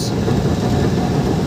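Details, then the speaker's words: Front differential on a vehicle making a rough, continuous low scraping grind under road noise while test-driven; mechanic says the noise differs from a CV/velocity joint. A dirty, sticking caliper was suspected first, but the fault was the front differential. "Yung gumaganon-ganon siya, kumakayod-kayod. At saka yung maingay, ano, hindi rin velocity kasi iba yung ingay sa velocity."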